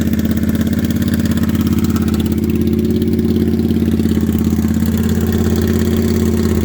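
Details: Used 2012 Triumph America V-twin, about 20,000 km, with short "Cocktail Shaker" exhausts: deep even potato-potato idle pulsing about three times a second with loud open exhaust; healthy.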